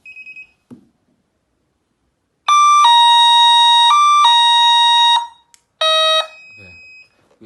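Loud shrill siren alternating between two pitches in steady steps, then a short repeat; the armed system is sounding its alarm.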